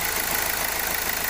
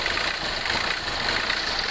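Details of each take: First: 2016 Hyundai Accent CRDi diesel after replacing a cracked sensor that caused misfiring and idle rising and falling: steady, even idle with no stumbles; normal idle after repair. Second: 2016 Hyundai Accent CRDi diesel at idle: an uneven misfire with idle hunting up and down over hiss; a sensor with a strainer tip was found cracked, and replacing it cured the misfire.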